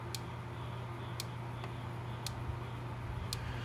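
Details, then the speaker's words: Gallagher MPE electric fence charger, early-1980s, thought to put out about 4,500 V: sharp evenly spaced clicks about once a second over low mains hum; tester needle barely moves, weak output, repairer suspects a bad transformer. "My guess is that this transformer's bad, which is that piece right there."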